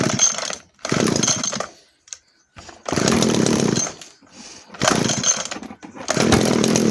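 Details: 1997 Echo HC-2300 two-stroke hedge trimmer, cracked fuel lines repaired and H, L and T screws adjusted, cold start on choke: high-pitched buzz fires in one-second bursts and dies between; normal cold start on choke.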